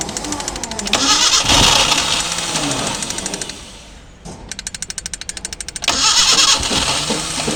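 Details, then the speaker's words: Maruti Gypsy cold start after sitting a long time, engine chilled with ice, in neutral, with fuel reaching the engine: steady starter churn of about three pulses a second with no catch or fire-up. It cranks but won't start. "Just വണ്ടി crank എടുക്കുന്നേ ഉള്ളു കേട്ടോ"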